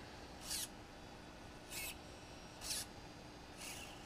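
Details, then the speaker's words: DJI Phantom 2 Vision camera pitch gimbal after replacing the OEM servo with a Hitec HS-5055MG digital servo, reversed via programmer, default gimbal settings: four short crisp buzzes as the camera snaps quickly, no typical OEM servo whine; normal servo operation. "you do not hear the typical Servo wine from the original OEM Servo"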